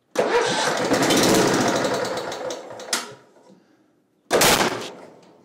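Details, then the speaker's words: Simplicity Regent mower, 14hp Kohler Command engine, spark present, no choke, full throttle: catches and roars briefly, sputters out, fires again; flooded carburetor, cleaning planned. "so good that uh that is probably flooded like crazy"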